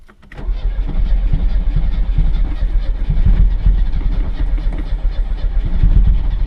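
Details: 1986 Chevrolet Chevette at teardown start: long, uneven cranking with rough, lumpy, diesel-like firing that keeps trying to catch but won't settle; a hard start, cause not yet found.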